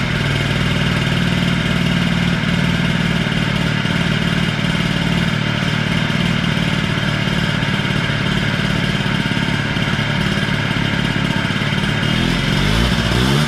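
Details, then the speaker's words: Honda Spree 50cc two-stroke scooter runs steadily but sounds thin and flat with no power; compression reads low, owner wonders if motor is blown and considers replacement motor; extra premix added causing slight smoke; low compression. "Starts and runs. It just, like I said, has no giddy up and go. Now the compression on it was reading low."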